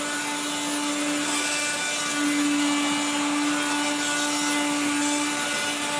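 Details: 1970s blue Regina Electrikbroom 3-speed vacuum, just arrived, vacuuming a floor. The motor and fan are dry after someone washed it. A steady motor whine sits under a coarse, raspy grinding that never settles: dry motor bearings.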